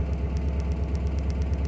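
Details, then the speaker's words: VW Type 4 upright-converted engine with Black Box map, idle hiccups: steady even idle with sharp tick about eight times a second in the speakers, suspected out-of-tolerance spark plug resistance; plugs replaced afterward. "okay you hear that tick tick tick tick tick tick coming from the speaker that tells me there is that there is one spark plug that is auto tolerance out of tolerance"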